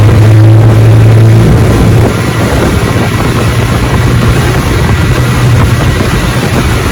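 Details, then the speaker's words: Fully restored 1958 Johnson 18 HP FD-12 two-stroke outboard on a 14 ft Feathercraft, lake test: steady, even buzzing drone at full throttle with no misses or surging; running great. "she's a definitely running I mean great all right Jo well you got a winner here buddy"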